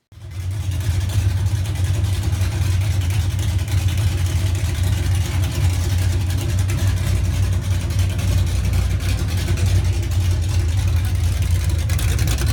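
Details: 1981 Monte Carlo G-body with 355 small-block V8, camshaft, carburetor to be replaced with a Holley, during rear end swap: deep even burble with slight cam lope, no knocks or misses; sounds healthy, awesome throttle response.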